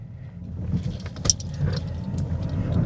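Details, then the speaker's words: 2022 Honda Insight driving over bumps and a drain after replacing rear passenger shock/upper shock mount that was rattling and clunking: only steady low road rumble, light jingle midway, no rear clunks or rattles; fixed. "I think we're in business. Quiet as can be. No annoying rattling."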